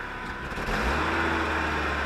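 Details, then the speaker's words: 1986 Toyota 4WD pickup, after a temporary fix where the falling-off exhaust pipe was cut, sleeved and welded back on, with the muffler still to be replaced. It starts and settles into a smooth, even idle drone with no leaks: the exhaust note is now normal. "oh yeah baby all right so that's 100 better"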